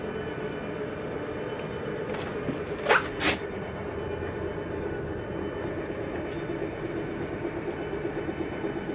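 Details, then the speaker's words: 2020 Jayco Jay Flight 284BHS travel trailer, slide-out retracting via control panel: low steady motor drone, then two quick clunks as the slide reaches full retraction; normal mechanism signal that it is all the way in. "why did you hear that noise that's just a slide mechanism saying i'm in all the way don't need to bring me any further"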